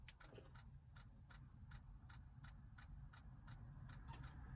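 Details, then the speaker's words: Toyota/Lexus E7007 GPS navigation stereo from a 2006 Toyota Sienna Limited: quiet uneven ticking, three or four per second, DVD drive seeking endlessly while the unit won't power on. Common fault: failed GPS map drive power control board, fixed by replacing it. "So the whole time you hear this seeking noise, like the drive is the DVD player is trying to turn on, and when you try to power this unit on, nothing happens, and all you hear is the background noise."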